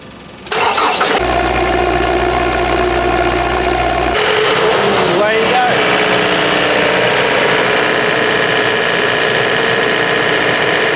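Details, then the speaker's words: Anest Iwata PD250 mobile diesel compressor started with the start button after the primer filled the diesel: brief cranking, then it catches at once and settles into a steady, even clatter, a normal, healthy start and idle before warm-up and loading. "To start, simply turn on the start button."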